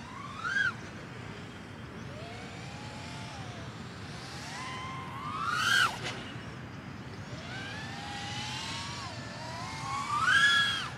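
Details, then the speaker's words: Diatone GT-R349 3-inch micro racer drone: motor whine rising and falling with throttle, with a wavering oscillation buzz at full throttle. Suspected PID P gain too high, with the stock tune no good on this setup. "you can see that vibration actually there in Full Throttle so maybe I need to even lower the P gain more"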